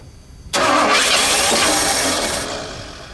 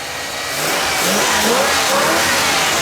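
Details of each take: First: Junkyard Bullnose Ford truck, EFI-to-carb swap, first start attempt: two long bursts of starter cranking that never catch or fire, even with starting fluid sprayed down the carb throat; crank-no-start thought to be from plug wires in wrong firing order (HO diagram probably used instead of non-HO). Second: Bullnose Ford just after first start on new carb (EFI-to-carb swap), still cold, running 2-stroke gas from a small tank: revs climb cleanly from idle and hold smooth without popping or backfiring; good throttle response, running normally.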